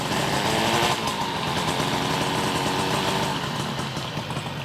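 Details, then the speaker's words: 1972 Yamaha LS2 100cc two-stroke twin, 784 miles, first start after carb clean, no air box, fed from auxiliary tank: crisp crackle rising and falling cleanly with throttle blips, good idle; normal revving. "That sounds pretty good. This guy sounds really good. Sounds really good. I like it."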